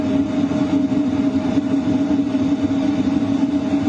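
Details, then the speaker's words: LF Bros diesel heater at max 5 kW setting, combustion power 99%, running in a tent at night: strong steady rush of duct airflow over an even low hum and faint whine; normal running at full power. "You can definitely hear the airflow pick up. It's a lot stronger. The combustion power is also at 99%."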